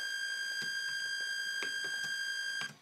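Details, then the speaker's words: Steady high-pitched PWM whine from a photobioreactor mixing motor at the 1600 Hz max PWM frequency, stopping abruptly when switched off; plan to raise PWM frequency to silence motors. "if I turn on the motor here for mixing, you can hear this PWM whine."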